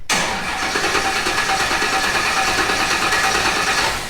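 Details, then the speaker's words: Newly built off-road project engine first crank: starter churns at about three turns a second with no firing; cranks but won't start because the fuel pump has no power on its green wire. "so he's gonna crank it it's not gonna start and then we're gonna have to spend a couple of hours figuring out why and then it'll start"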